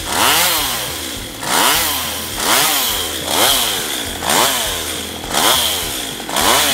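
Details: STIHL MS192TC chainsaw, reported hard to start and unstable: revs rise and fall about once a second with a popping edge, engine hunting; treated by carburetor adjustment, possibly end of engine life.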